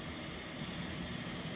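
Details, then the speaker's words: 1976 Zenith Chromacolor II console TV, model G4547M, chassis 23GC45, after losing high voltage and reworking the horizontal board; faint steady static-like hiss with no crackling. Normal high-voltage hiss, working again. "see if you guys can hear the high voltage is kind of like sounds like static electricity"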